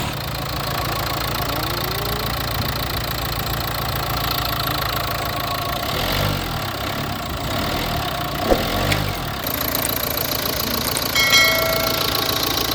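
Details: 2015 Nissan Qashqai that had a crank-no-start fault from an airlock in the fuel line: steady, even idle with a low rumble and no misses or knocks, apart from a few handling clicks. Normal idle.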